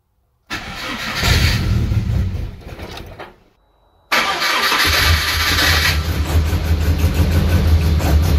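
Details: MG ZR after cylinder head rebuild, sensor reset upright, first start attempt: short cranking burst, pause, then engine catches and settles into a steady, even idle with firm low rumble; normal start.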